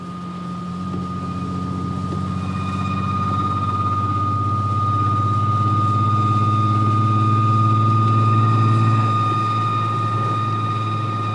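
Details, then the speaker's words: VW Golf MkV R32 while driving: a steady high squeal rings above the engine's low rumble as the car accelerates, long-standing, sounding like metal rubbing; brakes, all-wheel drive or transmission suspected, not confirmed. "it sounds like it has something to do with your acceleration. Is that my brakes dying? No, it has to be your like all-wheel drive thing or your transmission."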